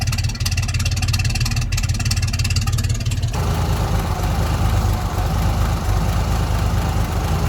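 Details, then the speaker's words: 1958 Mack B-21 fire truck, 1091ci Hall-Scott engine, after 30 years sitting, oil burning off exhaust: low, lumpy idle changing character, never settling; running rough. "she she fired up once she got a little bit of fuel she's fired right up too running a bit bro here and man this thing sounds cool"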